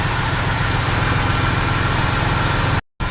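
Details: Ford F-150 ('91 40' as spoken) with a hard cold start that needs gas and cranking and dies when in reverse or turning; it has a new cap, rotor and plugs. Loud, low, uneven lumpy idle while timing is checked at operating temperature; rough idle, cause unconfirmed.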